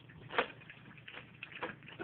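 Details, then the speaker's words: $9 Rival drip coffee maker while brewing: faint irregular sharp clicks once or twice a second over soft gurgling, loud punching-like noise; cause unknown. Loud clicking while brewing. "we got that noise there that clicking noise pretty wrong so I would spend $20 on a better coffee maker purly because of the noise the clicking"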